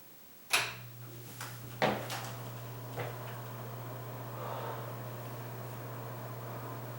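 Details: Bathroom exhaust fan with newly installed motor after rat-nest removal: a couple of knocks at switch-on, then steady even low hum, no rattle or scrape; runs smoothly, though the damper flap didn't seem to move.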